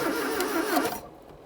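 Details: 1980s Ford XR hot hatch left in a Kent garden for 25 years, first start with fresh fuel plus additive and no throttle: a brief rough burst of firing under a second long that fades out as the engine catches, stumbles and fails to keep running.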